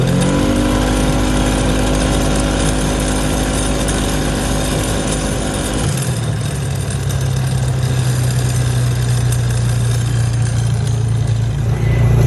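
Engine at high revs with a loose, uneven rattle running through it, then the tone drops and steadies; rattle heard, cause unknown.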